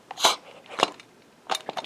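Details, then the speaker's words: Tandem Bendix Hemi power brake booster for a 1970 Road Runner, vacuum reserve and check valve test giving one or two brake applications: short airy hisses in separate bursts from the rear hub after each application; normal booster exhaust. "It is not uncommon to hear a little bit of air coming out of the rear hub of a tandem Bendix."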